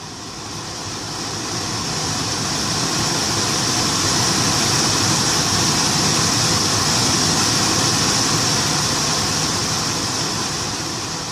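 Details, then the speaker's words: Infiniti M35/M45 AC blower motor, replacement used spare bench-tested at max speed before install (old one rattled and squealed, worse in cold): constant, even fan whir with no rattle, squeal or wobble; normal blower motor operation. "it's got a constant fan sound you know it sounds like a fan basically that what do you call it a whirring noise whi RR so no funny sounds nothing right"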